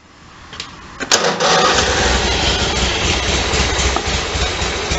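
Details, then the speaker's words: Engine (apparently the 5216) after a gasket found upside down was flipped and sprayed out; it already has new plugs, coil wires and fuel line. Warm restart, first run 3-4 hours earlier: short crank, catches at once, steady even run, no misses; normal. "So the top went back on, and sure enough, she's a runner."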